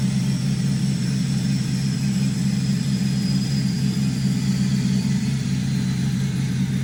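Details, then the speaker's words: 5.3L GM V8 before a cam swap, with good oil pressure: steady deep idle settling down, even low rumble, no ticking, quiet valvetrain; healthy engine. "Motor sounds really good. Let the idle come down. Motor sounds really good."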